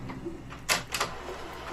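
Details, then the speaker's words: HP Color LaserJet Managed MFP E57540 after repair, cyan toner low, copying a magazine colour page. The document feeder draws the page through with a quiet whir and a couple of soft clicks, sounding smooth and normal. "Let me get this uh color um print here from a magazine and just copy and you'll see it's auto feeding the document which I've uh placed on the unit."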